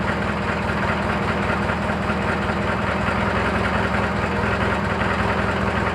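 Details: Briggs & Stratton 18 hp opposed-twin engine idling steadily with a fast, even metallic chatter over the exhaust beat, heard after an air filter change; knocking chatter of undetermined cause.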